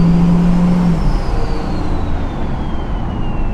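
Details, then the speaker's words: Ford 6.0 Powerstroke diesel fitted with a new compound turbo kit on its first test drive: a clear turbo whistle spooling over a deep rumble, without the usual 6.0 engine noises; spools faster as it warms; normal turbo spool. "It just it it sounds weird not having all the 6o noises. like it doesn't sound like a six liter anymore cuz normally you get in the throttle and it goes like sounds like Chewbacca and then now you just hear like a turbo."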